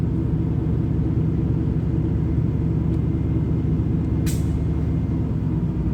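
Warm engine idling with a steady low rumble but an uneven, slightly lumpy beat underneath; rough idle, cause not evident.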